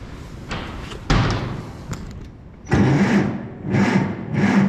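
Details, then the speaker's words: Farmall Super M cranked with the clutch in, out of gear and key on. A few short, sluggish cranking bursts fade each time without catching. No start because the battery is dead and too weak to spin it, and there is no charger on hand. "Well, that battery is dead, too. Well, shucks, folks. I guess we're just not winning here, are we?"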